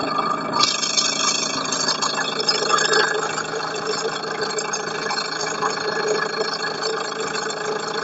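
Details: Light, uneven tapping repeating a few times a second over the running engine: engine knock from inside, source unconfirmed.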